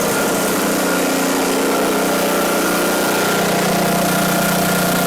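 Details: Ariens 5 hp snowblower (model 932006): steady single-cylinder drone at constant speed, no surging, misses or knocking; engine running healthy.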